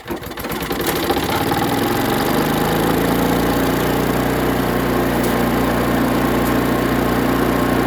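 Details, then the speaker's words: Chipper/shredder small engine after carburetor cleaning and plug check, started before full reassembly; it catches after a few pulls and runs with slightly irregular firing, a light sputter while settling. "So it does have a little bit of a sputter."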